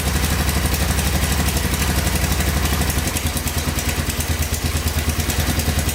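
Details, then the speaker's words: 1985 Honda ATC250SX three-wheeler, fresh gas, just fired up at idle: fast ticking about three per second over the single-cylinder thump, light top-end tapping; owner suspects valves needing adjustment or cam chain, also slight smoke. "oh yeah fired right up i hear a little knocking in the top end here though i think"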